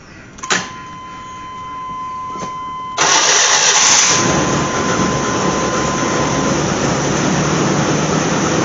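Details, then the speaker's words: Chevy/GMC truck first start after replacing fuel pump and fuel filter by dropping the tank: short crank, engine catches and settles into a steady, even run with no stumble or misfire; normal running. "all right let's try it Houston we have ignition yeah okay well folks it worked all right Yeehaw"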